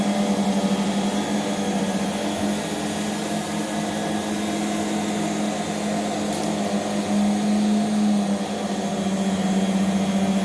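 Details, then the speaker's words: 1989 D4C vacuum with aftermarket ball-bearing brush roll at about 8800 rpm: steady motor drone with a low, even buzz that grows louder mid-run at higher speed; loose top plastic cover vibrating. "yeah if you hear a buzz yeah Nord we have found yeah out is plastic the top plastic is a little loose and buzzes a bit"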